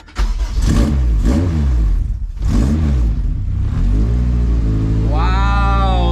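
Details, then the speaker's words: Rebuilt junkyard K24A2 in a CRX, first run with a rigged throttle cable. Loud, throaty exhaust rises and falls cleanly with throttle blips, with no knocks or misses; revs freely and is normal, just a loud car. "fired right over dude let's go i forgot how loud this car is holy cow"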